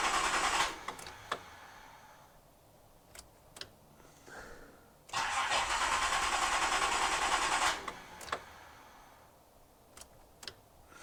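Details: Nissan Z31 engine after swapping mixed-up spark plug wires for cylinders four and six: several short cranking bursts, then a rough catch for a few seconds before it dies again; hard start, cause not identified.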